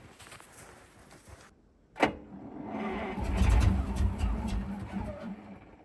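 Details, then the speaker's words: Ural military truck at -8°C after about 6 months standing, petrol poured into the cylinders via the air filter: starter thumps in, steady quick cranking never catches; it isn't getting enough fuel, a fuel starvation fault. "Well, we know now that it's not it's not getting enough fuel."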